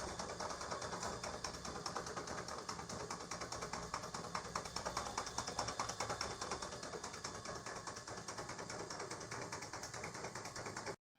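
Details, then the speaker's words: Worn donkey water pump before rebuild, impeller gone black: harsh rattling run with a fast uneven chatter over a loud hiss, so noisy no one could rest in the house; excessive running noise. "ਹਾਂਜੀ, ਤੁਸੀਂ ਸ਼ੋਰ ਇਹਦਾ ਸੁਣਿਆ ਹੋਏਗਾ, ਕਾਫੀ ਸ਼ੋਰ ਕਰਦਾ ਪਿਆ। ਬਿਲਕੁਲ ਆਰਾਮ ਨਹੀਂ ਕੋਈ ਵੀ ਬੰਦਾ ਘਰ ਦੇ ਅੰਦਰ ਕਰ ਸਕਦਾ ਸੀਗਾ।"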